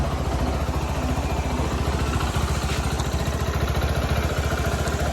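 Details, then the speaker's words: Bajaj Pulsar NS160 just after a full engine rebuild, idling after it finally started once petrol was added (the no-start was only lack of fuel). Even single-cylinder thump, no knocks or rattles, left running so oil reaches every new part. "आखिरकार, bike start हो गई, समस्या सिर्फ petrol की कमी थी। हाँ , इसे चलने दो। तो अब यह शुरू हो गया"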